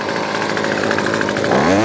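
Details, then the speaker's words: Weedeater Featherlight SST25 25cc two-stroke trimmer after carb kit rebuild: full-throttle steady high scream with a brief pitch rise near the end; full power, though idle still spins the head. "Now we got full power. Let's dial in the idle and see if we can adjust the low, because look, that's still spinning."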